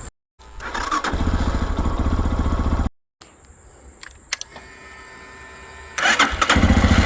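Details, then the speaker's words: Lifan KPX 250, 249cc EFI single-cylinder overhead-cam four-stroke, new first start in neutral after priming fuel pump: fires up and settles into a quiet, even putter with no knocks or rattles; healthy idle. "nice and quiet too sounds pretty good let it warm all the way up and then shut it off"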